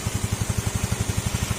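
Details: Yamaha Sporty scooter after engine overhaul for engine knocking, carburetor refitted, airbox off; steady, even single-cylinder putter about eleven beats/s with no knocking, exhaust note from a holed muffler.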